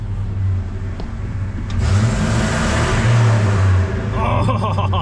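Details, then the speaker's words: Ford 5.4 L gas truck after clearing an ignition coil B primary circuit check engine code. Deep V8 burble revs cleanly and settles with no hesitation or stumble: normal revving. "listen to that it's pure American muffle all 5.4 l"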